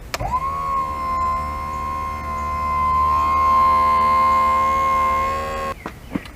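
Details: 70hp Johnson outboard power tilt and trim, tested while fixing relays/wiring with an aftermarket jack plate relay board: steady electric motor whine about five seconds running up, then cuts off; motor may sound weak, unconfirmed.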